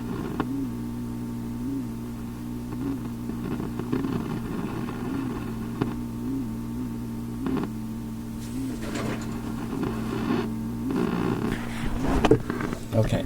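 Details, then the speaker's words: Philips Sonate BA581A vacuum tube radio, untouched while playing: irregular pops and crackles over steady mains hum, flaring toward the end; sounds like a failing component, not confirmed. "all that noise you heard i sat perfectly still and touched nothing and just listened along with you it's pretty interesting stuff ain't it has that failing component sound to it"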